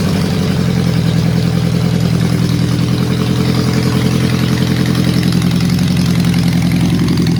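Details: Honda CB750 four-cylinder restoration, very quiet engine; uneven, slightly loping idle with a stumbling beat; number 4 exhaust cold, ignition ruled out, fuel reaching the carb, vacuum leak also suspected; one cylinder dead.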